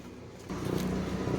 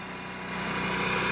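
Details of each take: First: Onan MicroQuiet 4000 RV generator with microwave and AC on, heard from outside: steady drone with uneven low pulse, still running a little rough, then levels out somewhat, as it has been doing lately. Rough running and surging, cause unknown. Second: Onan MicroQuiet 4000 RV generator under AC load, heard outside: holds one steady pitch, not going up and down; that's how it should sound. Normal steady running under load.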